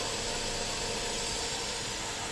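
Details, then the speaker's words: Water pump motor hums faintly and steadily with a hiss, running very weakly after being started on very low voltage when power returned; the burnt start capacitor needs replacing. "इन्हीं सब कामों में से एक काम है, मिसाल के तौर पे मोटर की आवाज़ का बहुत आहिस्ता हो जाना। ये जैसे आप देख रहे हैं पानी वाली मोटर है, अभी आप इसकी आवाज़ सुने, आपको बहुत ही मध्यम आवाज़ सुनाई दे रही होगी।"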